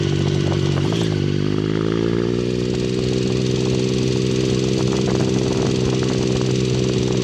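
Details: 2009 Triumph Speed Triple, 50,000 km, idling: light, quick ticking over the engine note that began mid-ride; dealer-replaced timing chain did not cure it, dealer now suspects the middle cylinder.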